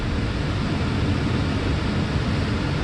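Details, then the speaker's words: 2010 Mercedes E350 after A/C compressor replacement, on maximum cool at about 12-13 bar, revs then raised, 4.8 °C at the evaporator; steady even engine hum, compressor running smoothly, no knock, rattle or squeal: normal A/C operation. "So we have maximum AC right now. Well, to be technical, maximum cool. Actual readings we have about 12-13 bars, which is pretty good."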